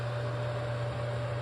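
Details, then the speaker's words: Newly installed Cadet RMC202W electric wall fan heater on a 20 amp circuit, calling for heat: steady low hum with a faint constant whirr, even throughout; a little noisy but running normally. "It's definitely a little noisy, but it's something I definitely wouldn't mind sleeping to."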